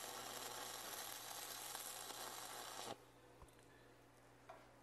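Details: Vevor MIG 270 3-in-1 welder in stick mode, 6011 rod, turned up to 22 volts, first-time stick welder: a constant frying crackle for about three seconds, then it cuts out. The rod holds a steady arc without sticking; the stick weld is normal.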